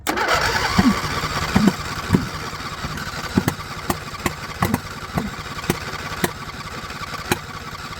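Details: John Deere LA120, owner thinks a 21 hp Briggs twin, full throttle, no choke, fuel filter still mostly empty: rough, lumpy running with sharp uneven exhaust pops about twice a second; the owner suspects a valve clearance problem, unconfirmed.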